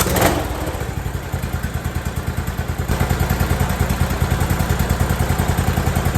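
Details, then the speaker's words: Briggs & Stratton single-cylinder Intek engine after camshaft repair, run at low speed to check the crank seal: even, deep thumping about three beats a second with no clatter; runs clean, repaired. "sounds real good I'm gonna go ahead and crank this up one more time just for you guys just so you know it's a definitely repaired"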